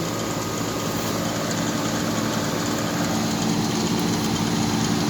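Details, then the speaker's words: 2004 Tempstar central air outdoor unit (Copeland scroll compressor, GE fan motor) with coils in poor shape: steady fan rush, compressor barely audible; still works but lines not very cold after 30 minutes running. "the unit still works. Barely hear that compressor though. I don't even know if the compressor's running. Oh no, it's running. You can just barely hear it."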